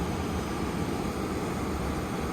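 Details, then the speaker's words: Dometic RV furnace after fixing the faulty sail switch: steady, even blower hum with no rattles, then slight clicking as gas ignites and heat comes on; normal run. "that fan blows it pushes that switch it's gonna go for a little while you'll hear a little bit of clicking you'll hear the gas cut on and the furnace there it is right there and now i have heat"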